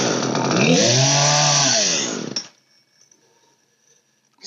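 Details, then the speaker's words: Old Poulan 3816 chainsaw, 16-inch bar, during carburetor adjustment with the high-speed screw roughly set: screams for two seconds, pitch sagging, then stalls as the throttle drops; low-speed mixture still needs adjusting and idle speed raising. "working on the low now I think I got the high about there that load still needs to go in my idle is too low so I'm going to raise my idle in"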